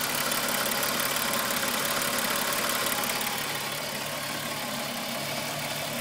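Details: VW Golf VR6 2.9, 103,000 km, idle: fast, fairly even metallic rattle and rub about three per second. Chain noise that grew louder after the upper hydraulic tensioner screw was changed; timing chain area suspected, unconfirmed.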